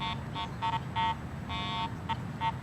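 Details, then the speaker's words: Garrett AT Pro metal detector, ground balanced for neutral soil, swept over a highly mineralized dirt pit in test lanes: repeated irregular warbling tone bursts as the coil sweeps, picking up the soil because the ground balance does not match. "it's clearly picking up the soil here, this mineralized ground."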